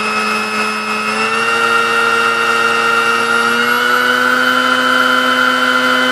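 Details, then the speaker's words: Sunbeam Mixmaster Model 12 mixer after service, beaters fitted while checking speed adjustment: steady even motor hum with clean whine rising slightly and holding; runs smoothly at stable speed. "I mean that sounded pretty good to me alright"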